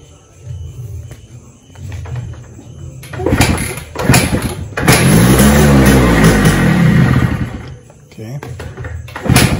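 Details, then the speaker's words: Suzuki Shaolin under restoration, run without a battery, pilot circuit choked: blips rise and fall, then the engine sags away instead of holding tickover; it won't idle. "so the problem with the bike immediately that I could notice is it's not idling so that could be due to multiple reasons"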